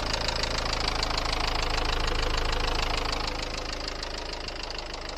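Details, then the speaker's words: Dacia Duster 1.5 dCi diesel at idle with a loud, sharp metallic clatter of about three knocks a second; valves striking the pistons due to slipped timing, after about 100 km since purchase. "donc le bruit de claquement venais bien des soupapes qui venaient taper les pistons dû à un décalage de distribution"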